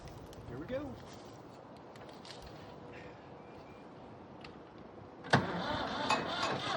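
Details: Late-1990s Ford 3930 diesel tractor, sitting 8–9 years: quiet crank, then a sudden lift into louder, rougher diesel clatter as it catches and keeps running; normal start after long storage.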